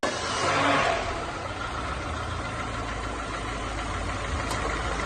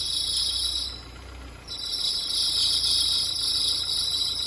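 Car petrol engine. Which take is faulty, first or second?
second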